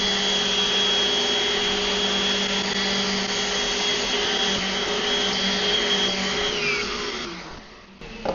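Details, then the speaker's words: Old DeWalt random orbital sander, baseline pass on wood; it sits balanced and pushes with two fingers. Smooth, steady high whir at one even pitch, no wobble or knocking, then winds down; normal running. "And so the fact that this thing runs and just sits balanced, and I can just push it around with a finger or two, and I can grab it, with my whole hand if I want, and just easily move that."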